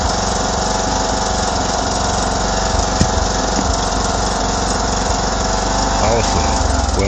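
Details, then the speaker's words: 2009 John Deere LA105 lawn tractor (42-inch deck, Briggs engine) after engine maintenance, oil and filter change and fuel line and tank purge. Steady, even single-cylinder drone, about 80% smoother than before; it previously ran rough. "I can already tell about an 80% Improvement in the way the engine"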